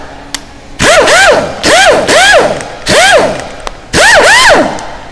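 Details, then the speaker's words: Snap-on MG725 1/2-inch air impact gun after teardown and rebuild, lubed, previously bypassed, seized and rattled: four short even hammering bursts, more power, no loose internal rattle; normal impact wrench operation after repair. "sounds like it starts up more balls than I did before didn't it sounds you guys got more balls than I did before handles nice you don't hear that rattling in there before you used to have that rattling in there"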